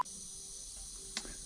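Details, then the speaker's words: Land Rover Freelander 2.0 D coolant expansion tank cap under pressure test: a steady high hiss and a small click as it leaks at only 0.5 bar. It should hold 1.2 bar; the cap is faulty and the wrong, smaller diameter. "First, let's check the cap. The cap is no longer working. You can see it, you can hear it hissing. It's only 0.5 bar of pressure."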